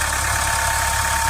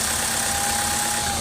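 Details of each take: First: Mahindra Scorpio diesel with an XUV500 solenoid switch fitted to cure a noise that persisted after switch-off; a steady, even idle with a smooth low rumble and no knocks, ticks or whine, noise gone. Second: Mahindra XUV500 diesel idling: thin steady high-pitched electrical buzz that continues briefly even after switch-off, seeming to come from dashboard area; traced to a faulty solenoid.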